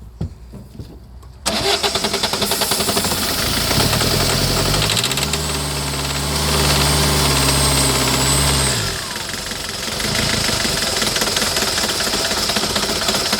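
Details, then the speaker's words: 2008 Citroën Nemo diesel van cranks, catches and runs lumpy with uneven knocking and surging revs before settling; fuel filter shown working, roughness blamed on too much fluid entering, normal once dry. "Still starting, and then it gets normal. So we know that the fuel filter is working. It's just too much fluid that's going into the system. Once the fluid is dry, then it will be back to normal."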